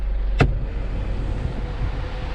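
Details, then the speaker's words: 2012 Isuzu D-Max A/C blower motor set to speed 4, giving no airflow until tapped by hand: a sharp tap, then a steady whoosh as the fan spins up. The blower motor is faulty. "โอ้โหผมขอไปทีเดียวลมมาแล้วก็แสดงว่าตัวมอเตอร์พัดลมแอร์เรามีปัญหาครับ"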